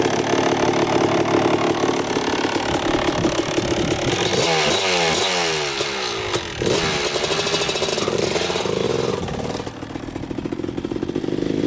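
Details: 2000 Suzuki RM250 two-stroke on first test ride after pipe fix, carb clean, new oil, fresh gas: crisp crackle revving up and down cleanly, back to steady idle, no misfire or bogging; running great in first gear.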